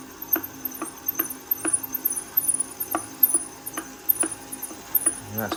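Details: Bafang BBS02 e-bike motor, brake sensor disconnected, run against the pulled brake: motor whir with sharp knocks under a second apart. Knocking appears only under load and sounds fine once up to speed.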